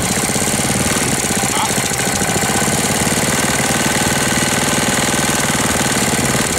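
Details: 1998 Briggs & Stratton 60 Intek Edge 6 hp, restarted after long storage, cold, air filter off, oil level fine: uneven tapping about four a second at steady speed; owner says it sounds like it may seize; knocking, source unknown.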